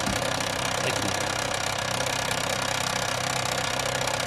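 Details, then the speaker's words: Fiat Scudo 2.0 with Marelli IAW48P2.34 ECU, after immobilizer disabled in the ECU to cure a no-start: engine starts and revs flawlessly, settling into a steady even idle with no knocks or misses. "Και το αυτοκίνητο παίρνει μπρος και μαρσάρει άψογα."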